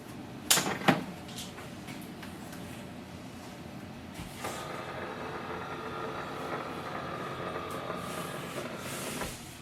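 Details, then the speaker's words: HP DeskJet 2700/2600 series printer scanning the alignment page after ink cartridge replacement, copy button pressed; lid clunks then a smooth, steady motor hum as the scan head travels about five seconds, normal scan. "Place this alignment page facing down on this corner and click on the black or the color copy button once."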